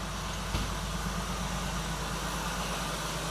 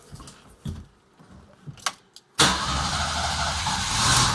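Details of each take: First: 1979 Jeep CJ-5 revived after 29 years, overheating, oil pressure about 30 and dropping: low, even idle with steady pulse and no knocks or misses under outdoor noise; running well. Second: 1979 Jeep CJ-5 revived after sitting 29 years: after a couple of clicks the engine catches and idles with a loud, steady airy hiss from a fierce vacuum leak still to be tracked down; alternator charging the battery.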